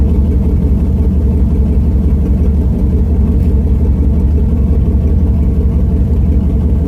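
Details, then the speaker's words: Truck with new headers, muffler removed leaving a straight pipe from the cat, small exhaust leak still suspected: loud deep drone with a fast, slightly uneven pulse; unmuffled but not as loud as expected. "so there we go guys i got my muffler deleted and it actually sounds pretty good and it's not too loud so i was quite surprised you know"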